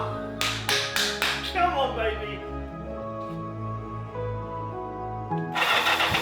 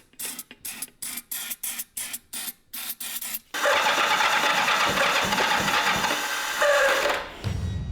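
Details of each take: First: 1984 Kawasaki GPZ750 Turbo, sat unused for many years: a few cranking chugs catch, then slightly uneven but steady idle; starting and running again. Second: 1984 Kawasaki GPZ750 Turbo, long abandoned: even starter chugs about three a second, then a rush as it nearly fires but won't catch; owner realises fuel pump never primed.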